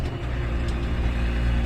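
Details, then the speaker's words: Military-tyred tractor running, heavy uneven rumble and thumping from a failed driveshaft hanger bearing, flange spinning loose on the shaft; drivable only below 1500 RPM. "That's the hanger bearing for the drive shaft has decided to delete or leave the chat, as we say, and it makes a racket because the flange is just spinning around on the drive shaft, and so I can actually control it as long as I don't go over 1500 RPM."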